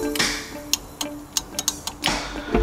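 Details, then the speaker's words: Nova drag car's trans brake bump button. Sharp irregular clicks, about a dozen in three seconds; the solenoid can be heard trying but never moves. Owner suspects the trans brake solenoid. "see I've got my trans brake button on this side you can actually hear it working but this bump button is not and you can hear something going on but it's just not moving the solenoid"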